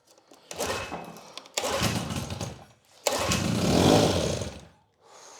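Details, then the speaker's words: Grandpa's old Evinrude 6 hp Fisherman two-stroke outboard, pulled from a barn, choked and primed after restoring fuel flow to the carb: two pull-start bursts, then it catches and buzzes about two seconds before fading out and stalling; starts briefly then dies. "Well, she started briefly."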